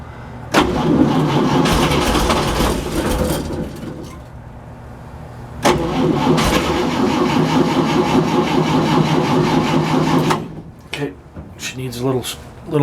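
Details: Hot-wired gasoline engine during fuel system check, fresh fuel with Marvel Mystery Oil, cold: starter cranks, engine catches and runs rough, dies and restarts, seeming to need more fuel; oil pressure coming up; normal cold start.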